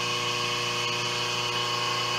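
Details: 5 HP inverter-rated three-phase idler motor on a 5 HP rotary phase converter control box, running at 60 Hz on the bench during voltage tests: steady even hum with constant high whine, not labouring, running normally.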